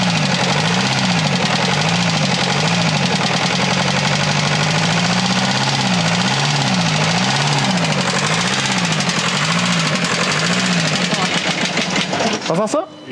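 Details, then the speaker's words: Bus diesel engine with 10,000 km that suddenly made a noise and died while driving: at idle a loud, rapid knock keeps time with the engine; the owner suspects incipient bearing damage, likely a conrod bearing, not yet confirmed by removing the oil pan. "Man müsste wahrscheinlich echt hier die Ölwanne abnehmen und gucken, ob das nicht doch ein angehender Lagerschaden ist."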